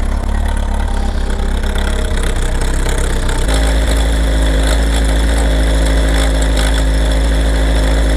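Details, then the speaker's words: Kawasaki ZR7S started with choke after sitting: a busy mechanical rattle at idle from mid-cylinder that grows louder as the revs drop and fades at higher rpm; all four cylinders fire; owner suspects the cam chain or automatic tensioner, unconfirmed. "アイドリングもね、あんまりしたくないんだけど、おそらくね、カムチェーンだと思うんだけど、回転が上がるとノイズが消えるんだけど、ヘッド周りまではね、行ってないと思うんだよね。"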